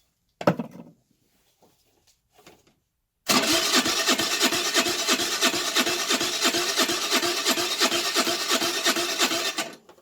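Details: 2008 Baotian Tanco 50cc four-stroke scooter, half gutted, with fresh fuel: starter churns about three even strokes a second for six seconds, never catches; plug keeps getting wet, flooding, owner suspects a fouled carb.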